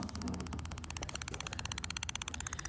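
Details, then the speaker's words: Pool with low water, listening probe held at one spot on the liner: rapid regular crackling hiss about fifteen pulses a second, silent when pulled away; pinhole leak where a wall bolt poked through the liner. "right there is a little pinhole obviously right on top of my finger right there it was found in the leak one of the bolts for the wall poked through you can hear it here"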